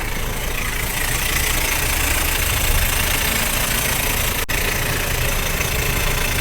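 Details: Harsh, gritty scraping over steady car engine idle that goes away when revved and returns after restart; starter bendix stuck partly engaged, rubbing the flywheel ring gear.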